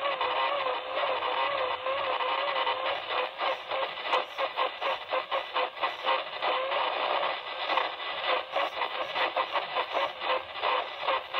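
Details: Icom IC-7000 HF radio: a steady raspy hiss with a motor-like tone warbling up and down about every second across the whole upper HF band, started a week ago; owner suspects a nearby treadmill or motor.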